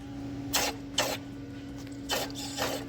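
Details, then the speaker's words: Running engine: harsh creaking, scraping bursts come and go over a steady engine hum, from a failing water pump. "That's the first time I've heard a water pump make a noise like that."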